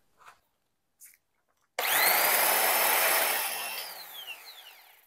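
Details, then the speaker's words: Used DeWalt die grinder after its bearings were cleaned and repacked with grease: spins up to a high steady whine with a gritty edge, then coasts down unevenly, grease flying out; bearings worn and need replacing. "well it might be a good idea to replace those bearings after all"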